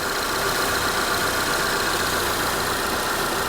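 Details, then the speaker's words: 2022 Honda Civic Sport, 19,000 miles, idling with hood open; smooth steady hum with even whir, no knocks, ticks or misses, sounds healthy. "I mean it sounds healthy sounds good 19 000 miles I see nothing wrong with this car nothing at all"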